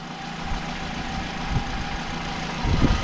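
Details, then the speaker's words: 61 plate, grade 4 auction car, bonnet open: steady, low engine idle with an even rumble and no knocks or ticks; engine doesn't sound too bad, normal idle. "The engine doesn't sound too bad."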